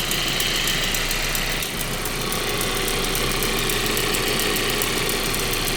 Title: 1.8t ticking noise. Part 3